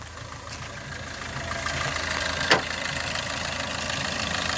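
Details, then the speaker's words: Maruti Ertiga/Swift Dzire with check engine light, low pickup and speed, jerky hesitant start, stumbling when accelerated at idle, bonnet open: uneven idle with loose irregular light tapping and no smooth rhythm; rough running, cause not yet clear. "வண்டியில் ஒரு smooth rhythm இல்லை. ஒரு டக்கடன்னு இந்த ஒரு மாதிரியான ஒரு sound ஓடுது."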